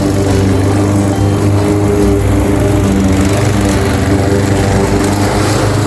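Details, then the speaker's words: Craftsman 21-inch cut mower powered by a 5.5 hp Honda GCV160, reportedly non-starting with a dry tank, cutting grass at level two: a steady, even buzz with music behind, no surging or misfire. Now fully functioning; technically nothing was wrong. "A simple fix. absolutely simple fix because there was technically nothing wrong with it. So, as you can see, it's now fully functioning lawn mower."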